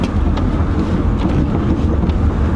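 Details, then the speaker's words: 2008 Chevy Malibu test drive after replacing both front complete shocks for bad top hats: low, steady road rumble over bumps with no knocks or clunks, where the front suspension previously knocked badly. "going over bumps that [ __ ] was really bad before video felt like the car was gonna fall apart now it feels like a normal car even when swing"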